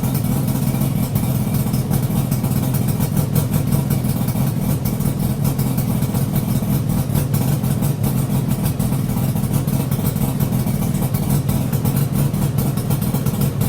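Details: Yamaha RD350YPVS F2 two-stroke twin idling on initial start-up after full rebuild (all bearings, seals, rebore); plugs were loose on first run. Steady, even burble with no knocks or rattles. Normal idle, quiet and healthy.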